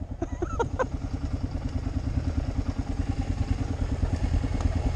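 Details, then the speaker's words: Kawasaki KLR riding a gravel dirt road, front action camera: short high chirping squeaks over the engine each time the front suspension compresses on bumps. The squeak is new, seems to come from the right side, and the owner suspects the front shock or tire. "but it's when my everything compresses it squeaks and I've never had that before"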